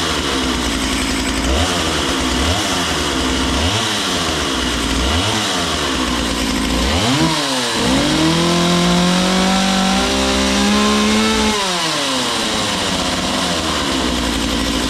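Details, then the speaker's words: Makita DCS 6401 chainsaw unused for 10 years, now running with filter and bar fitted: crisp blips climb and fall cleanly, holds a steady high scream at full throttle, then drops back; runs healthy. "now we'll go ahe and crank it again and actually run it with a filter and bar and everything I want to make sure it's going to run"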